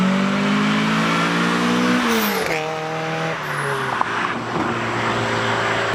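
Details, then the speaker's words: Car turbocharged with CX Racing V2 kit (different turbo), FMU, after new fuel pump installation, hot day: engine pitch climbs strongly through each gear, clean shifts, no stumble or hesitation; normal acceleration under boost. "Okay, so let's take the car for a rip, which I can already tell you just from the drive home that the car is running a lot better."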